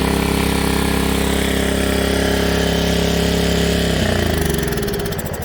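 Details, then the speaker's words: Honda HRA215 SX self-propelled mower with blade clutch, looks to have sat in a shed for several seasons, primed with fuel and run on choke. It runs steady, then stalls within seconds when switched to run; the carburetor main jet and emulsion tube are plugged, so it only runs on the choke circuit. "So when I went to turn that choke off and put it to the run position, it stalled out. And what that tells me is that the carburetor, there's a bowl and a emulsion tube and a jet, tells me that's plugged, because right now it only wants to run off the choke circuit,"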